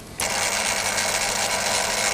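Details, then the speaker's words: Refurbished and upgraded Daiwa DR-7500 antenna rotator on DC-7011 controller, casing reinstalled: constant high whirring hum starting cleanly, even, no grinding or clicks; running healthy and quieter with the casing on. "it's a bit quieter now that the casing is on"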